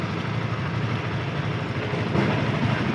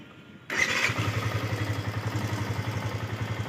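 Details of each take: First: Yamaha FZS V2, 437 km, after tappet and timing chain adjustment: even, steady single-cylinder idle with a smooth low beat and no top-end tapping or rattle; normal idle. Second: Yamaha FZS V2, 437 km, ridden rough without a proper break-in: fires up and idles with a fast light ticking clatter over the rumble; loose tappets and slack timing chain, needing adjustment.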